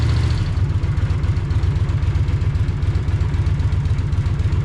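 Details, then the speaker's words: 43-year-old Honda GL500 Silver Wing motorcycle idling after a valve adjustment cured its rattle: low throbbing, uneven lumpy beat about four pulses a second, running rough; owner suspects remaining carburetor issues and plans to run cleaner through it. "Think I still have some carburetor issues though cuz that's not real happy."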